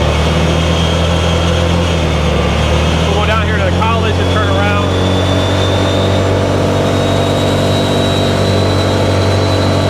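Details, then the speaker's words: 2018 Odes Dominator 1000 X2 LT UTV on the road after new spark plugs, previously down on power and limited to about 24 mph: smooth pull with rising pitch under throttle, no stumble or misfire; fixed. "I think this one's fixed here I think we got this one lift I can't believe it was just a spark plug can you believe it just a spark plug"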